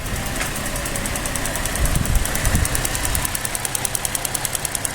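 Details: 2007 Pontiac G6 GTP petrol engine at idle with a fast, even ticking over a low idle rumble; source unknown.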